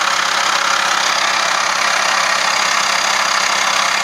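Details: Fast, even light clatter of about four ticks a second over a steady idle, appearing when the air conditioning is switched on: something rattles under the AC load.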